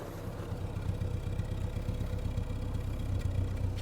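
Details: 1975 MG Midget 1500 after starting-fault diagnosis, microphone near the exhaust: even, steady low exhaust pulse at idle with no misses, pops or stumbles, only an occasional brief blip that smooths out; not yet road tested. Normal idle.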